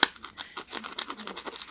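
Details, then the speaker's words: Mitsubishi TC2001Z TV speaker, stored for decades: dry scratchy rasps, about eight bursts a second as the cone is pushed by hand, voice coil scraping, suspected mould or dirt under the spider; speaker to be replaced. "acredito que deve ter entrado algum mofo alguma sujeira aqui na na aranha embaixo da aranha aqui na bobina aqui ó e tá raspando então de vez em quando esse barulho aparece"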